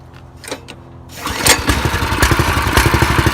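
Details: Small single-cylinder engine on a home-built drift trike, freshly filled with oil and gas, started with fuel on and choke set. A few pulls, then it catches and settles into an even, rapid putter. Starts and runs cleanly.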